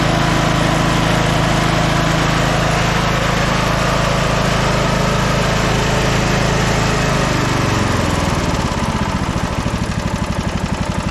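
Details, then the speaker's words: Scotts 15/42 lawn tractor single-cylinder engine, started by jumping the starter, carb not cleaned: catches and settles into a steady, even beat of about four pulses a second; healthy and smooth. "how does it run so good jeez fired right up"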